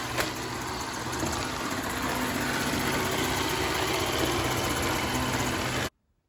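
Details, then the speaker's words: iRobot Roomba S9+ on a hard floor at low power: steady loud whirring buzz with a faint fast rattle; the rollers seem to catch on something, but nothing was found inside when they were removed; cause unknown. "the rollers here kinda like catch it on something not sure what it is"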